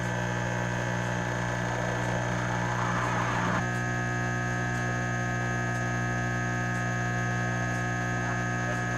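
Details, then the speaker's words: Pump station with a mercury-driven level gauge: as the wet well empties to the stop position, pump 1's rushing noise cuts off sharply with a single contactor clack, leaving steady electrical hum. Normal pump stop. "We're emptying the well. And at some point it will go to the stop position and we'll hear the contactor release."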